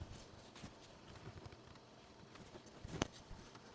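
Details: Replica Commodore 1581 floppy drive, newly built, formatting a disk after earlier 'drive not ready' errors: quiet soft ticking and tapping as the head steps across tracks, one sharper click; formats normally, 3160 blocks free.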